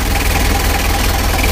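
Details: Rebuilt 2000 Mitsubishi L300 diesel engine at idle: a steady idle with a hard, dry clatter on every firing stroke and no other noise, a diesel knock because the injection timing is set too far advanced.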